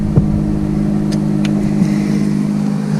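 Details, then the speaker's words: Abandoned 2007 BMW K1200GT, fuel-injected inline four: steady, even engine note with a smooth low hum and no knocks or misses, sounds healthy, though it dies in gear and has a fuel leak; cause unknown. "I don't know enough about these motorcycles to to know what to do for that but I know it runs the engine sounds good so we're going to call that a win no matter what"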